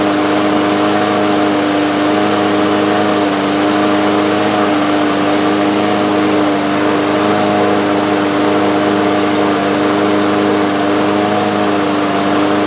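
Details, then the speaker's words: Two-year-old DeWalt mower with Briggs & Stratton engine, first-pull start after new carburetor main jet fitted, indoors: steady high-pitched buzz holding constant with no dips or hunting; engine running too fast, speed adjustment needed. "All right. So, the engine was running too fast. You could probably hear that."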